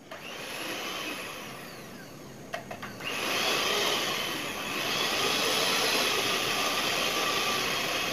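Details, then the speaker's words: New knockoff Philips hand mixer that had run rough, tested after a glued repair: a click, then a smooth, steady high-pitched motor whir with no rattle or shaking like before; it now runs clean. "Coba testing tuh. Suaranya itu lembut. Terus enggak gemeteran lagi kayak tadi waktu pertama itu dihidupkan gemeteran."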